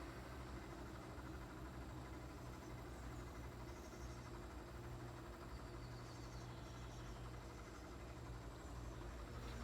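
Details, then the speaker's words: 2005 Nissan 350Z, failing cooling fans causing poor A/C at idle: fan activated on low speed whirs lazily and dully, amperage dropping to zero; weak slow-running fan motor, replaced with Mishimoto performance fans. "you listen to that fan you can hear it you can hear it's very labeled"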